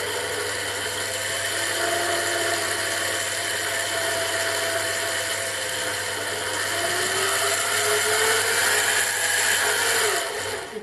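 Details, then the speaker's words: 7x12 mini lathe running: a steady, even gear whine with a constant hum, then it spins down; normal noise, mostly from the headstock gears, while the change gears stay quiet. "I think most of that noise is coming from the gears in the headstock. I don't think it's coming from the change gears. They seem pretty quiet."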